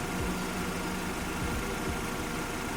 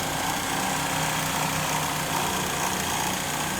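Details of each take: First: Engine at idle after replacing the tensioner damper that caused loud rattling at idle and under acceleration: steady, even hum with no rattle or tapping; engine now sounds healthy. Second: this is what I know during idling the engine make a very loud rattling noise when I'm driving I can hear the rattling noise especially when I accelerate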